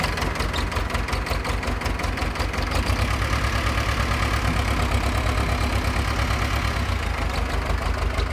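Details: Pettibone B-66 lift diesel after being under about 8 feet of floodwater (Hurricane Ida): hard starting then loping, uneven rough idle; no hydraulic oil, air in hydraulics, functions shaky.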